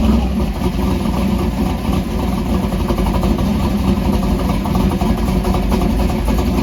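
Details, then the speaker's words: Warm stroker small-block Mopar V8 with solid roller cam in a 1968 Dodge Dart drag car, idle raised by a throttle-blade adjustment, cold weather: steady, even lumpy rumble holding speed cleanly, no misses or knocks; normal idle. "you can hear the motor now now that it's got some heated because of that throttle adjustment it's picked up a little RPM"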